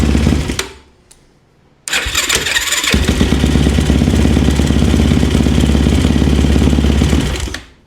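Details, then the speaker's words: Yamaha YFZ450 quad engine rebuilt after a blown head gasket, fitted with a 480cc big bore kit: cranks briefly, catches at once and settles into a steady, even idle. Starts easily and consistently, a normal start. "Seems to start better off the rip right there, you know, just, I personally, one of my rules of thumb is how easily and consistent does it start back up."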